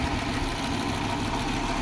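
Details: Audi 100 idling after head gasket replacement (burnt gasket at cylinder 4 had caused a tapping noise); smooth, even low-pitched idle with no tapping, knocking or stumble: normal idle.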